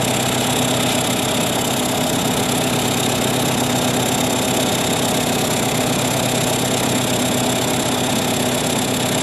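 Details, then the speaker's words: 1959 Cat D7D 17A bulldozer diesel, sat 10+ years, running after revival: steady loud rush and hiss over the idle from heavy crankcase blowby puffing out the oil fill, making adding oil painful while running. "what's going on here is we get a lot of blowby it's just making it painful to add oil while the engine's running"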